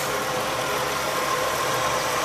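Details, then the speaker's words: 1985 Oldsmobile Custom Cruiser 5.0 V8 with the alternator belt only, fixing a loud squealing belt: steady, even idle, no chirp or squeal, smooth and quiet. "you could do it with the alternator only you see I don't hear no squeeze no more"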